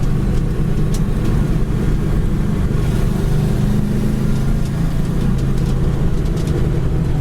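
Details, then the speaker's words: 1966 Chevrolet Chevelle with V8, dual exhaust and clutch, driving: deep steady V8 rumble, smooth and even with no knocks or rattles; normal exhaust note. "Really nice sounding dual exhaust as well."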